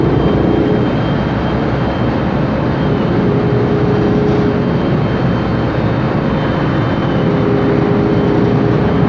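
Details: 2007 MAN Lion's Classic city bus with MAN E2876 LUH03 CNG engine and Voith DIWA 864.3 four-speed automatic: steady mid-pitched whine rising over road and engine rumble while accelerating. Noisy differential and Voith transmission sound from the rear suspected.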